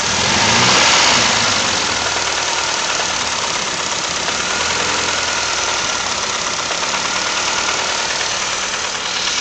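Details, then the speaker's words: 1994 Mazda Familia petrol engine at idle: light regular knock about four beats a second under hissy clatter, a very light cylinder 2 rod knock that appeared suddenly, blamed on previous owners' poor maintenance. "Got a cylinder 2 rod knock. Very light."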